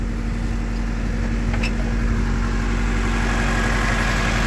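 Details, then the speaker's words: Classic Mini with Honda B16 VTEC engine, after steering column rebuild and refit, left running to charge battery: steady even low idle with no knocks, rattles or misses; sounds healthy. "So I'm just going to leave it run, let it charge the battery, might bring it on a spin around the corner. Yeah, she still sounds good."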